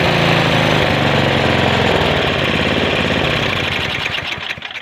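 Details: Snowblower small engine just after its gummed carburetor was replaced with a new part 640084B carburetor: it fires and runs with a steady, even beat, then winds down. It runs cleanly with no misfire.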